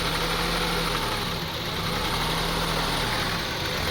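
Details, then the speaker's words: 2002 Honda CR-V 2.4L idling rough, rpm unstable, rising and falling slightly, uneven and lumpy; runs rough seconds after starting. Owner suspects throttle body, spark plugs or excess oil causing misfire; a cracked air hose leak was found but fixing it didn't cure it. "as you see the on idling very rough idling so we tried to figure out what's cause this"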